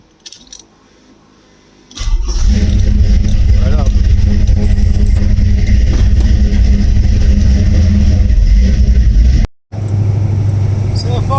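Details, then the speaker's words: 1979 Camaro V8, first start after converting from EFI back to carburetor, fuel pressure checked (about 7 psi), no leaks: after quiet lead-in catches and settles into steady, even low rumble with no misses or knocks; healthy idle, fuel pump not straining. "sounds good fuel pump too it doesn't sound like it's working too too hard"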